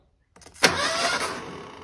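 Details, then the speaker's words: 1978 Ford Pinto cruising wagon, long-sitting: a sudden click, then the starter turns the engine over immediately on connecting the battery with nothing switched on; the brand-new starter solenoid is stuck on. "and immediately turns over so that means this solenoid is stuck it's stuck on"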